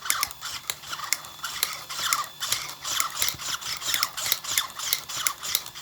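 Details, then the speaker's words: RC car after fitting a servo mount and BEC: sharp clicks two to three times a second, only under load; owner suspects the axle. "It only happens under load. Nope. What is making that click? I don't like that. It sounds like it's in my axle."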